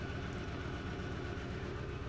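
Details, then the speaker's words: 2012 VW Jetta GL 2.0L with P0300 and P0301, rough running, flashing check light, raw fuel smell: extended crank then low, uneven chugging idle with irregular stumble; cylinder 1 misfire. "a little extended crank the vehicle does sound and it's starting to smell like raw fuel or like a misfire on either one or more"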